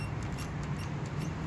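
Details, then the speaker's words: Toyota FJ Cruiser with the hood pressed down: short high smoke-detector-like chirps from a dry rubber front shock bushing, also heard over bumps. Fixed with WD-40 silicone lubricant. "just to kind of give you an idea of what it sounds like i'm going to press down on the hood here and you can hear it which is kind of annoying and it took me forever"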